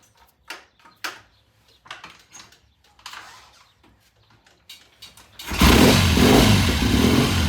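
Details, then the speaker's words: 1972 Triumph TR6 motorcycle with a slow warm-up problem, cold start after the pilot jet of the Premier carburetor was checked: twin fires promptly and settles into an even, steady idle with no misses. Normal cold start and idle. "I tell you what that sounds a whole lot better than it did yesterday all right well the proof is going to be when you go down the road that thing started right now and that idle sounded really good"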